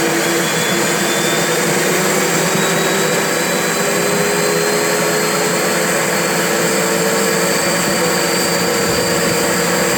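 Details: Turbo barrel on a cage buggy heating wood for pyrolysis gas: loud steady rushing whine whose pitch slowly sags instead of holding; the turbo comes up on boost then falls right back off.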